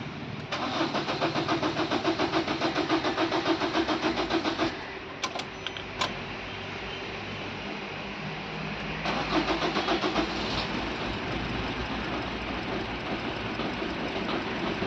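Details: Suzuki Swift diesel after misfuelling, with petrol still in the fuel rail and injectors and fresh diesel added: long even cranking rattle, a pause, more cranking until it catches and settles to a rough, smoky idle.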